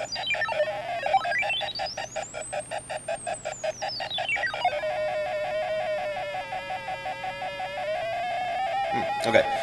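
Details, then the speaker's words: Homemade Arduino barometric personal altimeter with speaker at startup: chopped, crunchy stuttering tone sweeps high then low before settling; interval glitch from SoftwareSerial timer conflicting with Arduino Tone, gone when LCD serial writes disabled. "it sounds like there's an interval did it did it and there's a there's a sort of short period of time and that interval where it sounds really crunchy it's not a perfectly smooth value"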